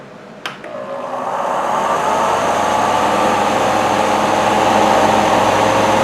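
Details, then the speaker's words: Portable car fan bought in 2013: steady whirring hum with a fast, uneven rattle about three or four a second from the motor and bracket; fan motor rattle. "Hear that bracket and the motor right there? That's what we're going to be fixing today."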